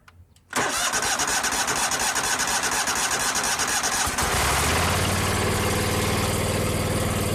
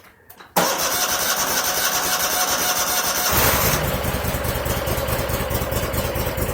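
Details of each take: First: 2001 Cub Cadet 3184 tractor, Kohler CH18S 18 hp OHV engine, 848 hours, after tune-up and a new voltage regulator (14–15 V shown): starter churns briefly, engine catches at once and settles into a smooth, even idle with no misses or knocks; a normal start. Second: 2001 Cub Cadet 3184 tractor, Kohler CH18S 18 hp OHV engine, 848 hours, before tune-up, oil half full: cranks, catches, then an uneven, lumpy idle; rough running, sounds fuel starved, suspected clogged air or fuel filter.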